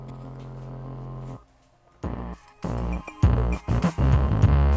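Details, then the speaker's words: Dayton Audio DC130AS-8 replacement woofer in a Polk Audio RTI-28, mic close up: music with buzzy rasp on bass hits; voice coil rubbing/binding, misassembled from factory, sound clears when pressing the cone. "The voice coil is binding. This thing is not assembled correctly from the factory. It shouldn't be a buzzing bass like that."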